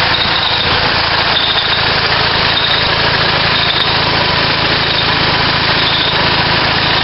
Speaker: well let's see we're going to give it a try here you'll hear a little gas escaping